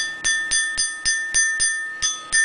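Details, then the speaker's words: Ford 5.0L Coyote sinter-forged powdered-metal connecting rod struck with a wrench: sharp strikes about every quarter second, each ringing clean and long with no dull thud, indicating dense, properly forged metal. "It gives a good steady ring to it. Whereas a cast piece or a piece that has not received the forging step would make a much more dulled thud rather than the nice ringing and pinging noise."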